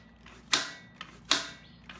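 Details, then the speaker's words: 1975 Norton motorcycle carburetors being readied for first start: three crisp, sharp clicks about three quarters of a second apart as the choke lever is turned fully off, snapping firmly into its detents; normal choke action. "So we just turn that choke completely off. There. Good snap. Good snap. I love good snap."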